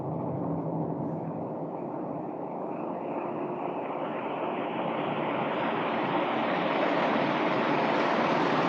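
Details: Sinox Power 12 V DC solar ceiling fan, remote-controlled, running at fifth (top) speed; smooth, even rush of air swelling slightly with no ticking, rubbing or wobble, running healthy.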